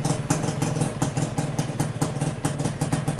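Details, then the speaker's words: Suzuki Satria Hiu after engine overhaul (new crankshaft bearings, connecting rod, oversize 150 piston), cold start hard; low even thump idle, earlier loud clack from connecting rod gone, slight noise perhaps from clutch housing. "Nah oke, jadi ini setelah di overhaul mesinnya, coba kita starter ya. Masih dingin, susah hidupnya."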